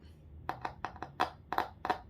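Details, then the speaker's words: Last car midrange speaker tested with a 1.5 V flashlight battery via alligator-clip leads: sharp crackling pops, about seven in two seconds, each time it touches; voice coil intact, speaker works. "เห็นไหมครับเสียงครับเสียงชัดเจนนะครับเสียงกลางนะครับ"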